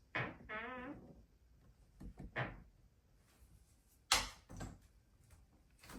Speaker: So there's a total of 3 of them, this one right over here, and then this one right over here, that makes a lot of sounds. So for example, if I were to close the door, and you're going to see how much it squeaks.